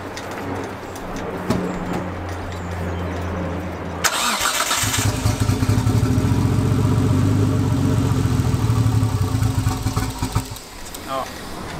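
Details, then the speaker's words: Nissan Skyline R32 GTS with swapped RB25 inline-six: lumpy loping idle running on three cylinders, then dies; coil packs suspected failed from heat. "I guess we'll start up and show you what it sounds like running on three cylinders"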